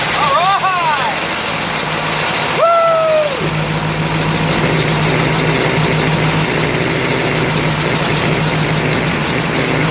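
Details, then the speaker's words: 1950 Ford 8N tractor, first start in 12 years after carburetor cleaning, fresh fuel and rising compression; catches after a couple of chirpy cranks and settles into a steady, even low drone with no knocks, running fine. "alright guys well there you go we made some heat"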